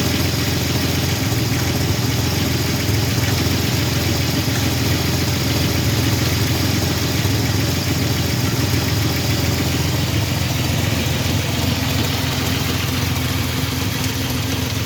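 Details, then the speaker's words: 1985 Chevrolet S10, 2.8 two-barrel carbureted V6, 2WD, 4-speed automatic (transmission not yet installed), nearly 60 psi oil pressure: loud steady idle with loose uneven tapping about three or four per second; engine knock of unknown origin, not yet checked. "It does have an engine noise. I'm not sure what it is yet. I haven't checked it out."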